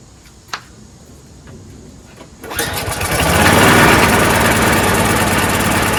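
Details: Troy-Bilt 22-inch mower, 4HP Briggs Quantum, first pulls after fitting a part: catches and settles into a fast, fairly steady but slightly uneven putter, smoking; rough running, owner suspects oil from lying on its side or a dirty carburetor.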